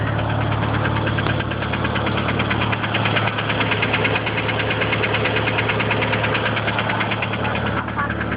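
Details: DSM engine at steady idle: light, fairly even tapping around two per second on the engine note, with lifter tick or rod knock in question and the cause not yet determined.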